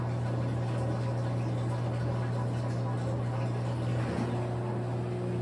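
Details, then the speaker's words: LG front-load washer after hot and cold water valve replacement, diagnostic mode drain test: steady low pump hum whose tone rises when the tub is empty and air is drawn through; pressure reading returns to about 261, drain pump normal. "you can hear that the drain pump when it changes sound is empty"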